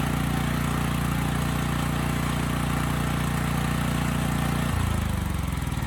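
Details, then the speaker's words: Coleman Powermate generator, running but won't run on choke, carb needs attention: steady drone with a fast rattle about four times a second that sounds like knocking but is the loose frame rattling, not internal knock. "there was a bit of rattling almost sounds like knocking but it's actually just the frame rattling on this"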